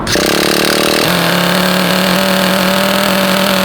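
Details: Vintage Traxxas nitro RC buggy on the bench, break-in tank, started without priming: quick fire-up then steady, clean high-pitched buzz at even speed; runs properly.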